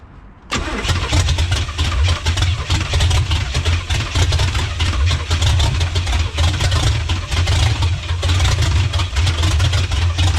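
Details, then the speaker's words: 1985 Pontiac Trans Am with a 5.7 350 small-block, not run in 7 years, started with fuel pump on: cranks, catches and runs rough with sharp pops. It backfires because one spark plug wire was left off. "oh I just realized I've got a plug off that wouldn't have helped"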